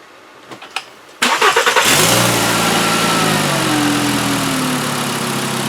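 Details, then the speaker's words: 2012 Volkswagen Jetta 2.5-liter five-cylinder after replacing all five worn, wide-gapped spark plugs that caused a constant misfire: a few cranks catch into a quick rev, then a smooth, steady idle with no stumble or miss. "Oh, there we go, much better. Much better. So that was it. It was just due for a set of plugs."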